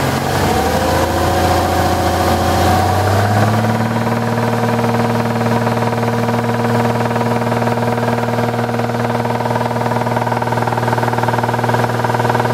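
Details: 2000 Jaguar XK8 engine steps from higher revs down to a steady idle with a persistent droning hum; seller claims the sound is normal but owner doubts it, cause unclear.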